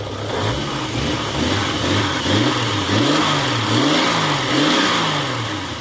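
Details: 1989 Jeep Cherokee XJ Renix I6 (stroker), AW4 automatic, after replacing a suspected cracked flexplate; the engine blips up and drops back smoothly several times with no knock or rattle and sounds healthy. Exhaust rattling against the transmission was noted earlier.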